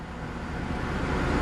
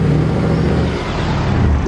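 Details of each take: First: Salvage Mercedes C63 AMG V8 (bought as flood-damaged) at idle after a new battery fixed an overcharging problem (owner suspects the voltage regulator was overcompensating for a faulty battery); quiet, smooth, even low hum with no ticks or misses, normal idle. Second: Salvage-auction Mercedes C63 AMG V8 driving slowly up the drive: deep rumble swelling and sagging every couple of seconds, engine hunting while nav screen flickers and airbag and ABS lights come on; cause unknown.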